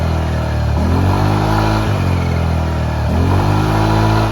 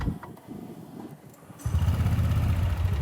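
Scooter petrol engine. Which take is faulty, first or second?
second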